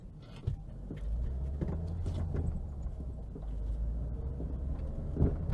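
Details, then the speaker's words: 1.6 Citroën Xsara Picasso on test drive over a rough road, before replacing control arm bushes, ball joints and drop links: severe irregular dull knocks, clicks and clunks from the front left suspension. "oh hope you can hear that guys that's that's quite a severe knock something sounds very very broken"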